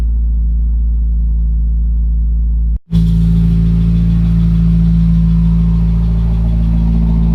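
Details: 2017 Subaru WRX cold start: low, uneven idle with lumpy pulse and brief dropouts, misfire count climbing to 100 four times; code P0303 cylinder 3 misfire on cold start only, plugs 1 and 3 replaced, oil on cylinder 3 plug, owner suspects internal issue.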